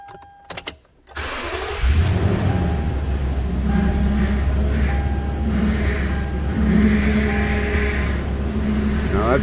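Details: 2008 Toyota Tundra power steering pump at idle with a constant thin whine and poor assist: fluid about half to three quarters of an inch below the cold mark and foamy, low from a leaking pressure hose.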